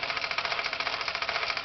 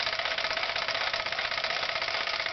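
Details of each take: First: Falk 450 overtype small steam engine, first run with feedwater pumping: quick regular chuffing about eight or nine a second, engine lagging down under pump load as water level drops; leaking joint seal suspected. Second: Falk 450 overtype small steam engine, first run with feedwater pumping: steady rapid chuffing around two and a half beats a second with bright hiss, picking back up after pumping; running smoothly.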